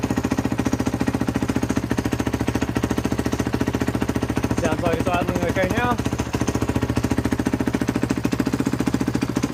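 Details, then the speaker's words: 2014 Husqvarna FC 450 single, picked up not running, old fuel, throttle cable repaired; first startup after priming fuel, settles into steady but slightly low idle with rattly exhaust needing repair; normal idle. "Well, it's running. So, that's that's a good start. It's idling a bit too low, so I might have to adjust that up."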